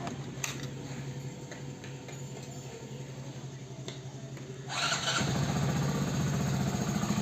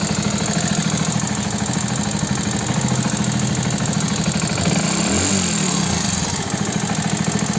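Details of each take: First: Hero Passion Plus BS6 motorcycle at 13,454 km, after repair: the engine noise was blamed on the timing chain but came from the rocker, and setting the rocker gap cured it. It now starts and idles evenly, quiet and without top-end tapping. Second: Hero Passion Plus BS6 motorcycle at 13,454 km on an uneven single-cylinder idle: quick, sharp top-end ticking. It is attributed to loose rocker tappet clearance needing adjustment, not the timing chain as another mechanic claimed.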